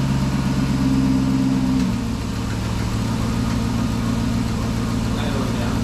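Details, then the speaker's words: Chrysler 300 Hemi V8 at first start after an engine swap from a donor 2006 300C, mid pipe off: a steady idle with a thin constant whine over it from the power steering pump, which lacks fluid until the whole system is filled. "that would be a lack of power steering fluid which we knew was gonna happen that was completely full oh it was but you still had to fill the whole system up"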